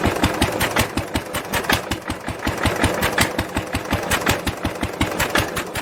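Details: 1946 International LBBR 3-5 hp hopper-cooled single-cylinder engine off a hay press, with a homemade glasspack muffler fitted: firm low exhaust beats about three per second, slightly uneven, soft-edged; normal running.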